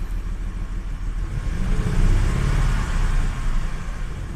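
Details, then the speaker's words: Audi 100 C4 2.8 petrol V6, recently rebuilt and previously misfiring and stalling, after repair and cooling-system bleeding: revs climb and settle smoothly with an even rumble and no misfire; the engine runs clean, with only an exhaust rattle left. "обороти набирає плавненько гарненько двигун Працює чітко"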